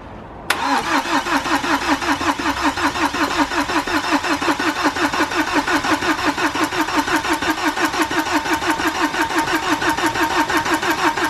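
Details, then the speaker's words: BMW N47 diesel after timing chain replacement, battery charged overnight: steady cranking about three even turns a second without catching yet, long cranking while fuel pressure builds to the rail and injectors. "obviously it did do a lot of cranking before it finally fired up and that's because it had to wait for the fuel pressure to build up and finally get to the fuel rail into the injectors and obviously into the cylinders"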